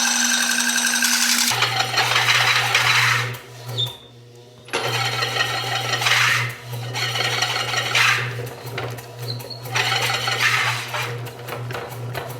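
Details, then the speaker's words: Rebuilt 30 lb Kerrihard power hammer driven by a 3/4 hp motor: motor hum under fast hammer clatter that sags and nearly stalls; motor too weak, to be replaced with a 1.5 hp one. "ʻĀ, ʻo koʻu loulou nāwaliwali koʻu motika. ʻAʻole lawa ka nui o kaʻu lio 3/4."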